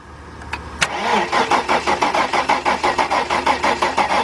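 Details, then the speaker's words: 1997 Mercedes-Benz E320, starter cranking with meter on cam sensor signal wire: steady churn around four beats per second, never fires; no signal from cam sensor. Crank no start. "now what the car does is cranks but no start"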